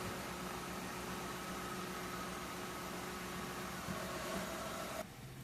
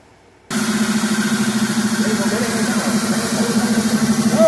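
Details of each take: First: 2003 Mercury Grand Marquis 4.6L after the idle air control valve fix, relearning idle: quiet, even idle with no rising-and-falling "Wookie yodel" or hunting; normal idle. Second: 2003 Mercury Grand Marquis 4.6L at idle: warbling voice-like "Wookie Yodel" that rises and falls over a steady idle hum, an acoustic noise from the box at the idle air control valve, before the valve is replaced; idle air control valve whistle at idle.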